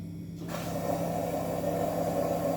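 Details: Frigidaire drain pump: steady low hum with a coarse buzzing tone over it that never settles; worn out drain pump motor running rough.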